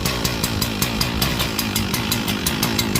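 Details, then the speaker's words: Echo CS-4910 chainsaw just cold-started at about 2° with -10 wind chill: rough, uneven idle popping about five or six times a second, not settling; rough running when cold. "She's trying. It's cold. Got her going. She does not like it. You can hear her."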